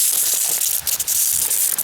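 A steady, sharp hiss with a faint spitting crackle, no engine or pump behind it: pressurised water escaping from a leak at the coupling.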